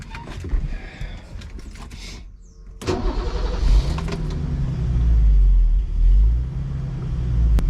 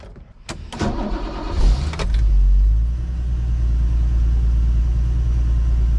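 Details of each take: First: Turbocharged BMW 733i E23 on first drive, modified fuel rail: idle rises and falls about every two seconds in a steady hunting surge with no load. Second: Turbo-converted BMW 733i E23, cold start before its second drive: catches after a couple of cranks and settles into a steady, even low idle with no misses; it runs well.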